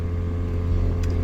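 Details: Cabin blower motor, previously removed and lubricated with WD-40, started making a bad noise after hitting a pothole while driving in Chicago; steady low drone with rough uneven hum, cause not pinned down.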